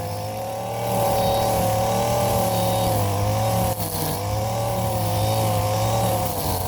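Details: Warm Stihl FS 56 RC trimmer, after 20:1 mis-mix and cleaned muffler screen and spark plug: steady even high buzz, no stumbles or surging; running clean and healthy.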